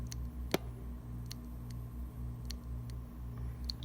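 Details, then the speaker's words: Failing hard drive: sharp irregular clicks over a low steady hum, the drive clicking instead of starting, with nothing showing on the screen; drive is bad. "same thing sarah as you can hear but it's clicking too so it's bad and nothing on the screen"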